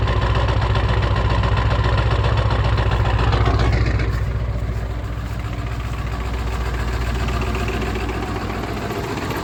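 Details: 1996 Ford 7.3 Powerstroke diesel, 292k, cold start at 18°F: rough loud idle, fast clatter about 220 beats a minute, smokes until warm, no knock when warm. Owner suspects misfire or bad injectors; new injector o-rings and cups.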